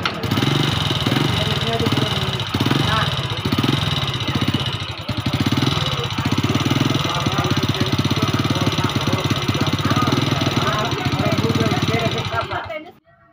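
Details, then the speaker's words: Four-stroke single-cylinder motorcycle idling before manual valve adjustment: fast hard ticking over the thump from the top end, rough sound; valves found loose, excess valve clearance making tappets clatter, to be adjusted. "kita sudah dengar bunyi yang seperti tadi bunyinya sudah cukup kasar di sini kita buka dulu tutup klep atas bawah baru kita setel"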